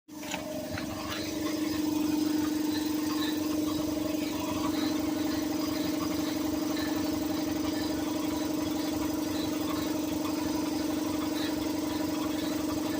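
Steady mid-pitched drone sitting over a smooth idle, holding constant throughout; the compressor is making an abnormal noise, cause undetermined.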